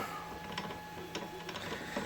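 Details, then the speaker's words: Auction Ender 3 Pro 3D printer, X gantry just rebuilt: carriage moving with buzzy motor hum, faint steady tones and scattered clicks, not supposed to sound like that; eccentric nut on gantry carriage wheels misadjusted. "uh-huh not supposed to sound like that so I'm just going to pick this up"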